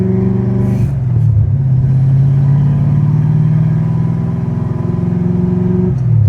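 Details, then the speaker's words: High-compression, big-cam car with a manual transmission, being driven: deep engine drone with a faint uneven rattle in fourth gear, like rocks in it; an ongoing transmission issue, owner suspects pinion angle, unconfirmed. "So, we do have a little issue, and it's been kind of an ongoing issue with this transmission, something with fourth gear. It just sounds like it's got rocks in it."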